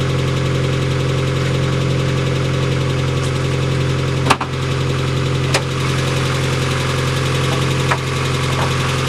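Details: Mazda Miata idling: deep steady knock under the exhaust drone, possibly oil-related (check your oil); rod knock.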